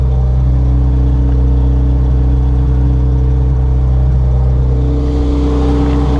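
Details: Honda Civic EG hatchback after D16Z6 swapped out for a B20V turbo engine, first run after the swap, kept short to avoid overheating since clutch master cylinder still needs bleeding; strong smooth note rising cleanly near the end; normal running.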